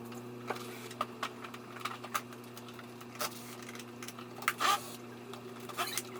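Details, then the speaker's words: Kymco Vibe (Fever ZX) scooter that cut out while riding and has a seized piston: cranking gives only a thin, steady starter whine with no compression chuffs at all. "okay well that's very definitive if You' never heard what a bike with no compression sounds like before that's it there when you start your scoot it should be should be clear defined compression noises and that one's just a pretty much a whining noise because there's absolutely no compression whatsoever"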